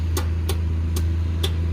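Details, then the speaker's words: AC unit with no low voltage. The disconnected, water-corroded low-voltage wires at the wire nuts are tied back in, and the contactor engages. A steady low mains hum with a few light clicks: the unit is energized normally. "I type my wires in you hear my contact are engaging"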